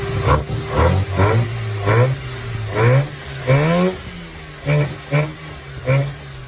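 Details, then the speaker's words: 1979 Mazda B2000 carbureted petrol engine idling low and steady with quick throttle blips and clean rising revs; normal running with no exhaust leak, carburetor audible after exhaust manifold gasket replacement. "Whenever I would turn her on, now you actually hear the carburetor."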